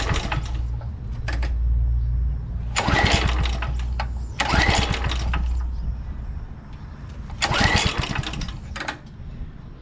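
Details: 2007 McLane reel mower, which fires and shuts right down, cranked on choke in wind (about 84°F): three sharp recoil pulls, each dying at once without catching; a no-start.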